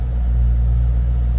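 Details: 2007 Ford Mustang Shelby GT coupe, V8, 5,228 original miles: deep, even idle burble with a smooth steady rumble, no knocks or misses; healthy idle.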